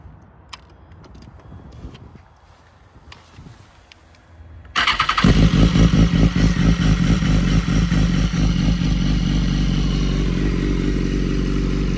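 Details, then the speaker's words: 2014 BMW S1000RR idling with a dry, busy clutch rattle over the engine note, heard throughout idle, more so with the stock exhaust can; a normal quirk of these bikes, though excessive noise should be checked. "They also have quite noisy clutches, which you can hear on idle the whole time, especially if you've got a stock can, you can hear it basically the whole time."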